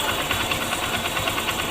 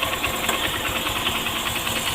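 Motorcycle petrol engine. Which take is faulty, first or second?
second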